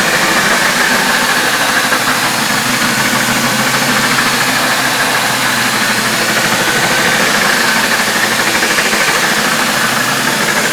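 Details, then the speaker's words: Hoover F3871 three-brush suction floor polisher, first run after unboxing, brushes very stiff to turn, smelling. Loose clatter about three beats a second over the motor hum; something loose rattling inside, cause not yet found. "There is something rattling about inside which isn't go"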